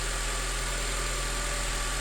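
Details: 2006 Acura TSX 2.4L K24 at idle after a new alternator fitted for a Check Charging System warning, charging now above 14 volts versus about 12 before: steady even idle, smooth low hum, no knocks, ticks or whine; healthy.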